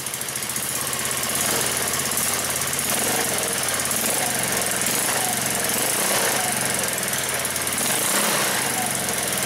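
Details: 150cc four-stroke overhead-valve go-kart engine, started cold just after a valve adjustment, given a little throttle: quick, even rapping beat with no stray ticking; running healthy.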